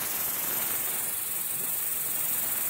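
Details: Boosted car, with compressor air fed through a cap during a boost leak test: constant steady high airy hiss from the boost plumbing, suggesting a leak, location unconfirmed.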